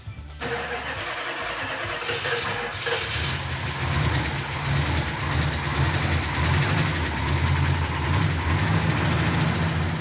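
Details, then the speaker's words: 1970 Plymouth Superbird V8 after restoration, fresh oil, antifreeze and 98-octane fuel, firing order double-checked; brief crank, catches cleanly and settles into loud steady deep idle with no misses or knocks, sounding really nice. "When Mark got it started, it sounded really nice. I couldn't even hear it."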